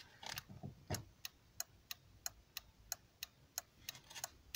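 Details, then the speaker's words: 2001 VW New Beetle after repairing the indicator/hazard switch, hazards on; crisp, evenly spaced relay clicks about three a second in a quiet cabin. The hazard flasher relay is cycling normally. "how does it seem to be working nicely there's a nice click inaudible click as well"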